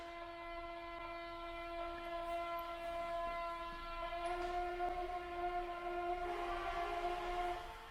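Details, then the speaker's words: Tesla Model 3 parked during an over-the-air software update, ventilation off: steady high multi-tone whine holding pitch, shifting slightly near the end, heard from both front and rear motors; source unidentified, possibly motor controllers. "now the ventilation is not on but you could hear like these kind of mystery noises coming through that's a new one I can't tell if that noise is coming from the front of the back oh it's coming from both motors"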